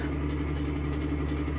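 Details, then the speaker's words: Electric fan running with a steady low rumbling hum and rough gravelly edge; motor bearings ruined despite oiling with 3-in-One, noisy for a long time but still working. "but it's been sounding like this for a long time the bearings are just ruined even though they've been oiled by 3 in one in the blue can"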